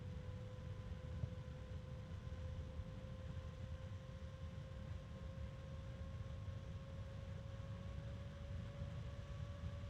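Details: Evercool EC7015M12BA slim 70mm 3-pin ball-bearing fan (sold as StarTech FAN7X15TX3) at high speed: steady whoosh with clean, slowly rising tone, bearing noise heard at minimum voltage no longer audible; normal running.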